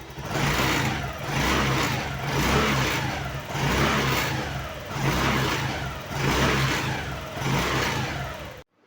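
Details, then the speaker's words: Honda Activa 110 scooter with the seat removed, engine blipped about once a second: a metallic buzzing rattle swells with each rev from a vibrating metal rod; fixed by pulling the rod, turning it and locking it. "तो friends यह जो आवाज आ रही है वह आ रही है इस मेटल की रॉड से यह वाली तो फ्रेंड्स अगर आप गौर से देखेंगे जब मैं एक्सलरेट कर रहा हूं तो यह रड पूरी वाइब्रेट कर रही"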